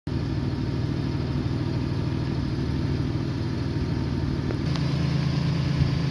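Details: 2009 Jeep Wrangler after PCM repair (damaged transistors for ignition coils 6 and 3 replaced): steady, even low rumble with no stumbles or skipped beats; idles smoothly on all cylinders.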